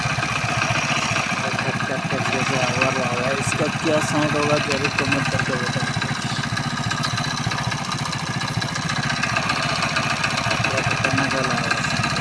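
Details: Hero Splendor Plus single-cylinder idling just after start: loose, uneven rattle of about four ticks per second over the exhaust beat; abnormal engine noise, cause unclear.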